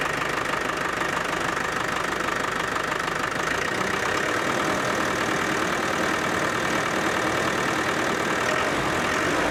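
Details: Land Rover Defender 110 300TDI diesel idling after turbo boost line and wastegate hose replacement: steady even clatter with a faint airy whistle on top; owner thinks the turbo is now audible where it wasn't before; engine settled, normal idle.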